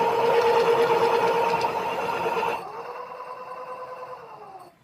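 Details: Electric scooter hub motor after replacing a faulty hall sensor (41F): clean steady whine winding down smoothly as the wheel coasts, no grinding or clicking; motor runs fine.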